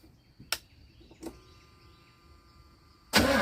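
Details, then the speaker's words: 1982 GMC Sierra 2500 with an ignition problem, fuel sprayed into the carb from a bottle: a couple of isolated clicks and a quiet pause, then the engine suddenly catches with a loud rush. It is hard starting, running only on the sprayed fuel. "I'm going to go get some fuel from in the shop in a in a little bottle I poked holes in the top I'm going to spray it in this carb and see if it'll turn over"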